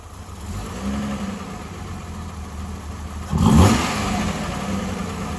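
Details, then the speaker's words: Freshly rebuilt Holden grey motor on first start-up with a temporary exhaust exiting straight out of the muffler, no tailpipe yet: smooth idle then a clean rev blip rising and falling without misses, knocks or rattles; normal revving. "so I just did that there to get it running so um sounds good hey sounds good the back pressure"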